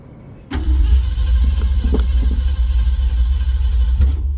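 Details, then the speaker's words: Car with new headers, 600 Brawler carburetor and dual-plane intake with four-hole spacer, cranked without pumping the gas: steady low cranking for about four seconds that never catches; slow to fire. "See what I'm talking about? You say it starts right up and then it don't want to."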